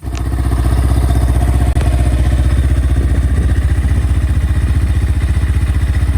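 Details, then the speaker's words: Honda XR600R big single, stone cold, half choke, fuel tap on, after freeing a stuck float valve and levelling the float: steady, even thumping fast idle, about four beats a second, no misses or knocks; carburetor no longer overflowing fuel. "how got it running, fuel tab's still on, it's not pissing everywhere, so that seemed to have solved the problem for us."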